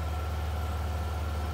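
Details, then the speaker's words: Yamaha NMAX scooter after teardown, indicator light staying on: steady even idle sitting noticeably fast, never settling; rescan shows high-idle fault code, idle control holding revs high. "harus cek kembali ini setelah kita hidupkan ini nyala lagi ya dan RPM mesin masih tinggi ini akan kita scan ulang ya"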